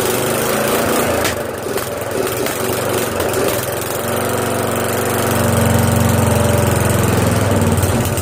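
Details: Castle lawn mower after swap from a 15 hp OHV to a 12.5 hp flathead, following a failed cold start and some adjustments: small single-cylinder engine catches and settles into a steady, even putter that firms up after a few seconds; runs properly.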